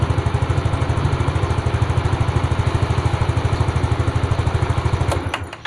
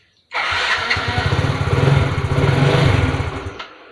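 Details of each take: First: Fuel-injected Yamaha Fino scooter, long parked with hard or intermittent starting, after spark plug cap bypassed: quick, steady single-cylinder thumping at an even idle for several seconds before switching off, no misses; normal idle, spark plug cap suspected faulty. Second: Fuel-injected Yamaha Fino scooter, long parked and hard to start, cranked with the ignition lead wired straight to the spark plug, bypassing the plug cap: the starter churns with uneven thumps that nearly catch; owner suspects that cap, and the plug is rusty.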